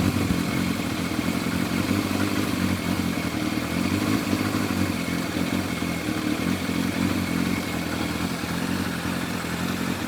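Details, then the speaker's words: Warm Yamaha FZR1000 four-cylinder with rebuilt carburetors ticking over smoothly, no hunting or misfire; Digi Sync shows all carbs 58–60, balanced. "There we go, they're all 58, 59, 60s. They're all within much of a muchness there."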